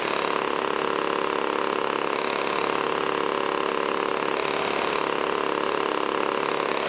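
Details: Old 1980s Toro S-200/S-620 snowblower two-stroke engine, tilted back while running to clear old fuel from the crankcase. Steady, even buzz with a regular beat, no misses or surging; running cleanly.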